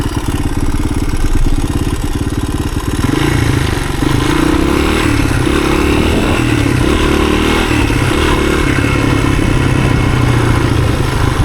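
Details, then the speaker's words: 1983 Honda XR200R single-cylinder, six-speed, on first test ride after years sitting: pulls steadily through the gears with clean, even firing, no knocks or rattles; shifts fine, clutch slipping a little; healthy running under load. "Yeah, it's going through the gears, no problem."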